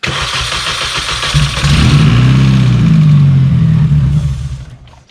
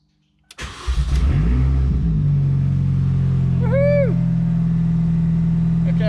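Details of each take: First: R53 Mini that won't start after refuelling from cans; cranks, catches and runs briefly on cold start spray into the air intake, then fades out, proving no fuel delivery and a fuel-system fault. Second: R53 Mini, after priming the fuel, running with no exhaust fitted: it catches after a few cranks and holds a loud, steady open-exhaust drone with even pulses. The engine now runs cleanly.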